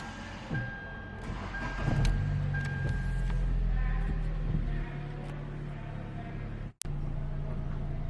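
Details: 2014 Hyundai Elantra that had a no-crank, no-start fault, now self-starting after the repair: the engine catches and settles into a steady, even low idle hum with no knocks or misses; it idles normally.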